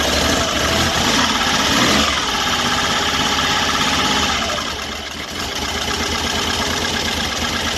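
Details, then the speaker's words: 1974 Triumph Trident triple, after retightening a loose carburetor banjo fitting and installing extended primer buttons: fires and settles into a busy, fairly even idle with steady valve-train chatter and no missing beats; carbs stay dry; normal running. "Well, there we are. We had it running, and these all stayed pretty much dry here."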